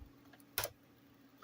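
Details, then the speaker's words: Meter giving faint sharp ticks roughly once a second over a quiet hiss, audible from the headphone port though it has no headphone output; intermittent electrical ticking, a possibly sticky meter. "you can actually hear the ticking even though there's no headphone Port"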